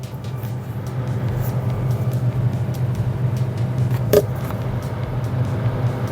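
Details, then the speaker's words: Samsung refrigerator that had a 12-times blinking control-board error and was not cooling, after repair: the freezer fan motor now runs with a steady, even low hum, no rattle or scrape, while the compressor is still not starting; normal freezer fan running. "Now you can hear the noise. The freezer fan is already working."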